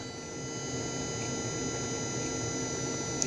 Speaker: the power plug first of all it energizes nice makes a nice humming sound